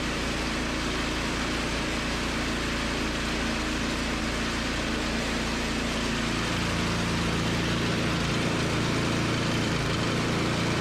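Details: Toro 521 snowblower fired up after replacing a blown drive belt (engaging the drive had moved the wheel but did nothing); new belt is tight. Loud, steady small-engine drone with an even beat, no squeal or slapping; works great.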